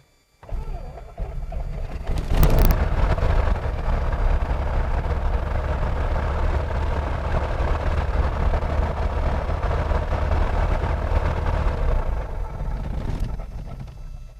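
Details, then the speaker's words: Carbureted airplane engine, cold start: primed only, throttle set and not pumped, radios off. Brief crank of 3–4 prop blades, then it catches almost at once and settles into a steady, even run; normal cold start. "It should start that fast. If you noticed, I did not pump the throttle. I just set it. All I did was prime the engine."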